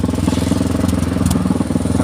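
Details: Motorcycle idling on the Musi Rawas–PALI–Prabumulih road: loud, raw, rapid popping about fourteen pulses a second, much harsher than normal, because the exhaust's end piece came loose when its hanger/clip detached, causing an exhaust leak.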